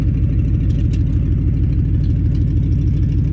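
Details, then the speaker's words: 1988 Ford Mustang GT T-Top, speed density, after long storage, with open header or open catalytic converter exhaust: loud, deep, even exhaust burble at steady idle with no misses or knocking; running fine. "you see the car is running fine speed density car so no mass error on this one"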